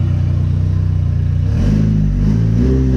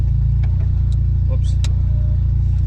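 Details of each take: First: JDM Evo running deliberately rich while tuning: deep exhaust note rises and falls cleanly on throttle blips, no misfire or knock; smooth, responsive, AFRs good. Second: JDM Evo with open exhaust ending under the cabin: loud, raw, steady high idle around 1850 rpm; owner says it wanders all over once hot.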